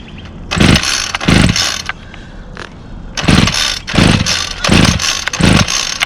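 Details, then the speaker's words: Two-stroke string trimmer that only runs with the throttle held and dies as soon as the throttle is released, started with choke and primes: six quick pull-cord bursts about a second apart with brief sputters, never settling into a run; hard starting. "his one here has a little issue i can only hold the throttle down second i let off of the throttle it dies um so i'll demonstrate that"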